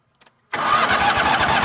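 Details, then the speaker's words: Toro Wheel Horse 266-H mower, 26 hp Kohler V-twin, starter suspected damaged, cranked with big battery charger boosting voltage: faint clicks, then it suddenly catches and runs rough and uneven; hard starting. "I think somebody has screwed that starter up. So, if that don't work, let's put some more voltage to it and see what happens."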